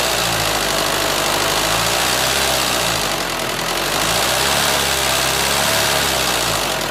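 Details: 2004 Renault Scenic 2 1.9 dCi diesel: harsh clattering idle with an uneven knock about four per second; abnormal engine noise of unidentified cause, engine to be removed, checked and replaced.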